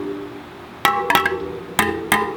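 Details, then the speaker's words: Rad City e-bike spokes plucked during assembly: four pings at noticeably different pitches, some lower and duller. Tension is uneven, so the spokes, including the back wheel, need retightening with a spoke tightener. "Well, you can hear that there are some different frequencies, so we're going to have to go back with our spoke tightener and do the back as well."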